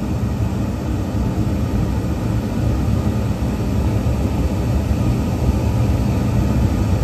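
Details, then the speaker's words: York rooftop unit gas burner after the draft inducer and ignition control board were replaced. The inducer runs, the gas comes on with a steady flame and it fires. An even, deep burner roar with steady inducer, no popping or surging; healthy ignition. "our gas is on our gas is on so we have a steady flash here which is good we should have a spark here in a couple minutes"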